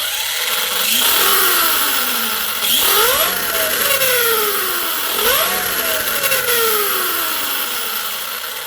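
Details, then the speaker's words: Arrma Kraton 6S EXB RC monster truck after refilling low diff fluid, especially centre diff: motor pitch climbs and falls cleanly at low RPM, no grinding or gear whine; drivetrain runs smooth. "so much smoother guys on low RPM on low RPM very smooth"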